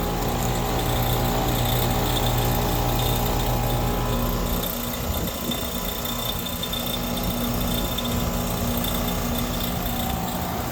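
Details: Goodman 5-ton heat pump outdoor unit: steady low hum with a quick clicking rattle about four a second; owner suspects compressor, not the fan; debris and loose screws checked; cause unclear.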